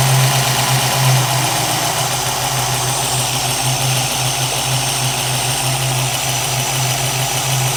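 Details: 1965 Ford Mustang 289 V8 idling after installing new Holley 650 vacuum secondary carburetor and adjusting float height, before warm-up and idle mixture setting: even, steady smooth drone, no hiss or stumble; steady vacuum, no vacuum leak.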